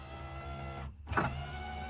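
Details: 1982 Camaro driver-side power window, switches already replaced, fails intermittently (often after car washes): steady motor hum, brief drop-out, then a clunk as it picks up again; cause not found.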